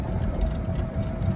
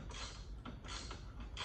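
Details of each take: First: Club Car DS golf cart driving through a neighborhood after the front leaf spring bushings were replaced. Only a low rolling rumble is heard, with no squeal or rubbing on the wheel; the ride sounds normal. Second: Club Car DS golf cart front leaf spring before repair, wobbling loose with its spring bushing missing and the suspension sloppy. Irregular dry creaks and squeaks come in bursts as the spring shifts.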